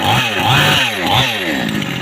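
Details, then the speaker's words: Two-stroke chainsaw engine after piston, ring and cylinder repair, kick-started: a crisp snarl rising and falling cleanly with each throttle blip, no stumbling or rattle; the problem is reported fixed and the engine runs healthy. "हमारा जो सेंसर है बिल्कुल ओके हो गया है। इसका जो मसला प्रॉब्लम था ये बिल्कुल ख़त्म हो गया है।"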